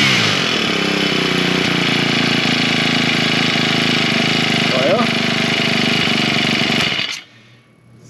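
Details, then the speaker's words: Husqvarna straight-shaft two-stroke string trimmer, primed, half choke with throttle: strong, even high-revving buzz without stumbles, then a clean shutoff. It runs normally; the owner suspects bad gasoline containing trash and possibly a little water. "seems to run just perfectly fine. I'm still saying that the gasoline is probably what the problem is."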